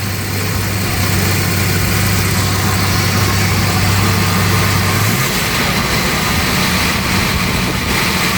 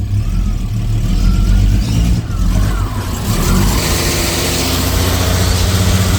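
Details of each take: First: 1988 Jaguar Series 3 V12, running again after 7 years and after ignition troubleshooting: steady, even idle with a smooth low hum, no misfire stumble or ticking; normal idle, distributor advance mechanism still to be checked. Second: 1988 Jaguar XJ S3 V12, first start after seven years, fuel changeover valve bypassed: engine catches and runs lumpy with revs hunting, popping on one bank; owner suspects faulty cold start sensor, unconfirmed.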